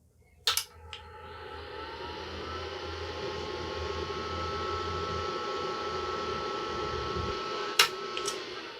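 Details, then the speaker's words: IBM PC 5150 under restoration, with a speaker fitted for diagnostics: a power-on click, then only a steady fan whir for several seconds and no POST beep before it switches off. The cause is unknown. "hmm how interesting well I think I'm gonna have to go and do a little bit more research because I am stumped"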